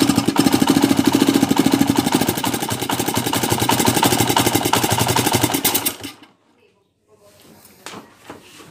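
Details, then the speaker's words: TMX 155 single-cylinder left for overhaul for a noisy engine, before repair: loud, rough clatter of knocks over the exhaust beat at idle before shutting off. Engine knocking noise. "Napakaingay mga kabro. Yan, may butas. Sa taas ng nut. May butas kaya singaw."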